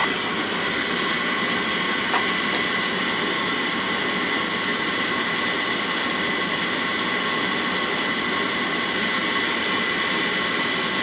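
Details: Oil burner after service, filter changed because it was clogged with gelatin-like sludge, possibly a bad batch in the outdoor tank: a steady even roar with a faint high hiss, no surging or sputtering; flame nice and red, firing cleanly.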